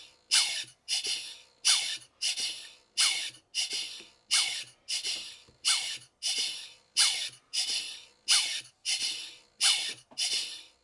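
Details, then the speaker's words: Horizontal Southworth 12-inch boiler feed pump, freshly oiled, run on compressed air: even hissing puffs about 45 a minute, no knocks, pump starting and stroking smoothly immediately. "As soon as I turn on the air, the pump immediately works. I would expect nothing less."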